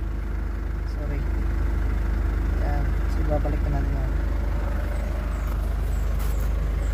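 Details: 2011 Ford Ranger diesel after no-start fixed by ECU repair, rail pressure reaching about 4,000+ psi: steady even idle near 755 rpm with smooth low rumble, no hunting or stumble.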